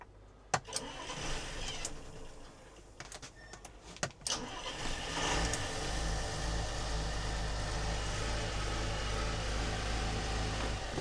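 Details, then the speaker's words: Volvo Penta TAMD 71B marine diesel, stood 10 years in a partially sunk abandoned boat, batteries fitted and fuel bled only: clicks and cranking, catches in about five seconds, settles to even steady idle with 60 psi oil pressure. "So, we've got oil pressure and sounding good. >> And it sounds really right."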